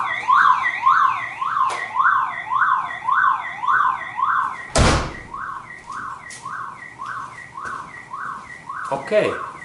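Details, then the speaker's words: Old car alarm siren after the car horn was eliminated: rising and falling wail, roughly two sweeps a second, thin and weak, with siren output down. "now as we can see Terris sound is weaker and I have eliminated this my car horn"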